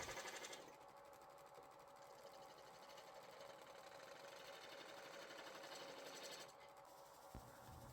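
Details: Wood lathe turning a rough-turned bowl being made into a flower pot: steady, even motor hum with a constant mid tone and light regular ticking, no knocks or labouring; lathe turning smoothly.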